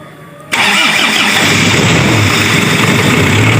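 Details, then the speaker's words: Daihatsu Taft GT diesel after piston rings and all eight valves replaced for rough running, smoke and high fuel use: cranks, catches at once, settles to even clatter without missing; normal idle, no exhaust smoke. "Berhasil kawan, alhamdulillah normal kawan."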